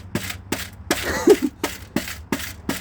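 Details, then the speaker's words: 1990 VW Golf Mk2 mid exhaust resonator, rusted: sharp taps followed by a dry, gritty rattle of loose broken internals, like candy inside. The muffler seems fine. "like there's a some nerds candy in there or something uh the muffler seems fine so that's good it sounds like there's nerd's candy in there"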